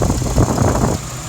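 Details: 2004 Jeep Liberty 3.7L V6 4x4 (~67k miles) idling after water pump, tensioner/idler pulley, thermostat and serpentine belt replacement, coolant bled with no more bubbles: steady low rumble, no tapping or squeal, brief uneven patch early on; healthy idle.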